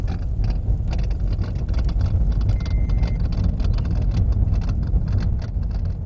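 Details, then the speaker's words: 2012 Toyota Prius V rolling over rough ground: loose, irregular clattering from the steering on bumps and gravel, caused by a worn rubber coupler/bushing between the electric power steering motor and steering shaft, which is then replaced. "That noise is a little bushing, a coupler that's in the steering, and I'm going to show you how to change that."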